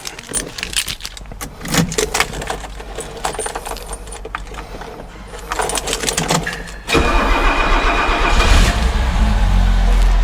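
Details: 1969 Mercedes Pagoda 280 SL, 2.8 six-cylinder automatic, original right-hand drive: some handling noise, then the starter catches and it settles straight into a smooth, even idle with no misses; healthy start.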